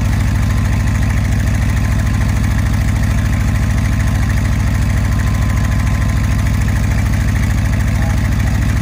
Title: 1967 Ford F600 high idle/cold warm up